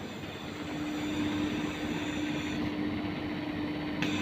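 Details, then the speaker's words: 1 PK AC compressor replacement (different brand, relocated mounting feet), test run after welding the discharge and suction pipes and refitting the covers: steady, even hum with no vibration, knocking or rattle; running cleanly. "Setelah itu kawan-kawan bisa maksudnya dengarkan ya dari suara kompresornya. Ini nggak ada getaran kawan"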